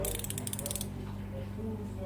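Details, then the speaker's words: Newly bought ratcheting wrench set: quick run of light, even clicks that then stops; some play; pawl working as it should. "в принципе нормально работает посмотрим так этот на 19 этот на 17 люфта меньше чем на 19-м трещотка тоже вроде работает"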